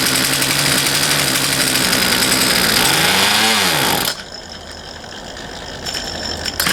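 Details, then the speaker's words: Poulan Pro 222 38cc chainsaw with incorrectly plumbed fuel lines: catches for about four seconds, pitch droops, then cuts out; wants to run but won't, fuel not reaching carburetor properly. "all right all right everybody as you saw it wanted to run but it just it wouldn't so did a little digging into it more and some research and realized that whoever plumbed those fuel lines did not Plum them correctly"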